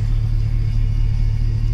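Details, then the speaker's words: Gen V engine after a fresh swap, idling with a scanner showing about -20 degrees of ignition timing: deep, lumpy, held-back idle with an uneven low throb that just doesn't sound right; rough idle from overly retarded timing. "when you do a fresh swap you start it up it sounds a little funny well they'll talk to the engine it sounds kind of withheld it just doesn't quite sound right it's really hard to explain"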